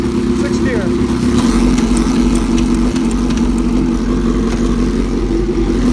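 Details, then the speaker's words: 2005 Suzuki GSX-R750, 21,128 miles, started for a part-out with ECU and fuel pump working and shifting through all six gears: steady, even engine note with smooth unbroken rhythm, no knocks or rattles, normal running. "I do want to show you that the bike runs and starts ECU works bill pump works shifts through all six gears knew what happened normal noises"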